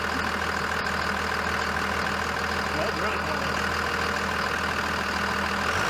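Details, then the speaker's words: 2001 Dodge Ram 2nd-gen Cummins diesel, cold, after clutch fan replacement: revving brings a steady deep drone with loud even rushing air as the new clutch fan engages hard, which the owner finds odd when cold. "so as i rev it up you can really hear that fan i still think that's kind of backwards you wouldn't shouldn't hear the fan when it's cold"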